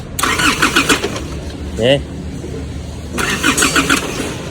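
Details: Isuzu MU-7 that won't start, with the starter fed directly through a jumper wire to its main terminal: two short bursts of quick, even whirring show the starter motor spins freely and works.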